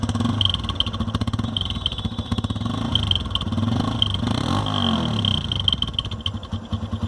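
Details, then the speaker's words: TVS Apache RTR 160 idling with an uneven puttering, popping exhaust beat that changes note; blocked silencer. "अब आप सुन सकते हैं इसकी आवाज़ को, थोड़ा सा इसके अंदर पिटपिटाहट की आवाज़ है, जिससे ये आवाज़ चेंज हो"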